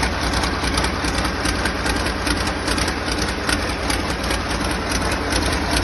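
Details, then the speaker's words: Freshly rebuilt diesel engine, run briefly with an injector pipe off: steady, even diesel clatter at idle with a regular firing beat, no misses or knocks; healthy and settled. "It's started up very easy. And, uh, no major leaks or bangs."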